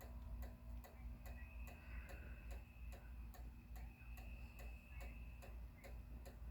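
Steady, sharp clicking about three times a second with no light coming on; the relay keeps chattering, cause undetermined.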